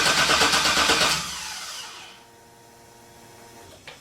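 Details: 1957 Chevy with LS engine swap, first start attempt, fuel pump working: about a second of even cranking winding down without firing; crank no start with no spark, cause unknown.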